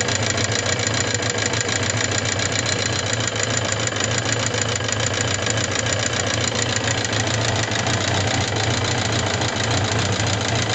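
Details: Suzuki GSX750S Katana engine: steady idle with fast, even metallic ticking clatter from the upper end since a hard high-rev run; rocker arms, camshaft, cam chain parts replaced and tappet clearance set 0.07–0.15 mm without change; cause unknown.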